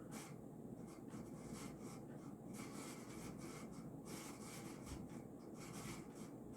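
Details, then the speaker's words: 1990s Casablanca San Marino Inteli-Touch 52-inch ceiling fan, stack motor, on speed 6 (high) with slight wobble and a possibly bent flywheel: a dry scraping rub with a faint rhythmic swish over the steady whir; worn motor bearings need replacing. "this noise isn't as bad as it was when i first got it but it's still quite horrendous so these bearings will have to be replaced unfortunately"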